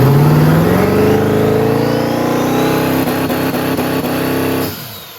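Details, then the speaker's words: Turbocharged hot rod, newly built turbo kit, recorded on a cell phone. A strong, clean rev climbs steadily and then drops off, making five pounds of boost, which is the wastegate spring setting. "a little cell phone video i'll put in to show you it makes five pounds of boost which is the wastegate spring"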